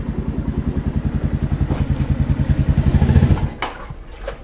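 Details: Mash Fifty 50 cc with a new replacement Lifan engine, idling after the swap while gears are checked and before the clutch cable is adjusted: an even fast beat of about three to four pops a second, then shut off. A normal idle.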